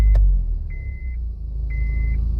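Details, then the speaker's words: 2006 Honda Civic with flashing green key immobilizer light, starting then shutting off: two chime beeps over deep steady rumble, stays running after immobilizer bypass with brake code. "and there you go we have bypassed the immobilizer the car will stay on"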